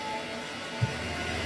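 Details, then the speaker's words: Haier HW60 washing machine spin after bearing replacement (drum knocked during spin, spider suspected): even smooth whir with one soft bump, no repeating knock; normal spin. "вот и все звук прошел"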